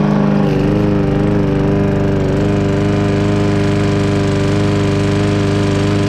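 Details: Briggs and Stratton walk-behind lawn mower engine after cleaning its plastic carburetor; steady, even drone at constant speed with no misses, surging or knocks. Running smoothly; normal running.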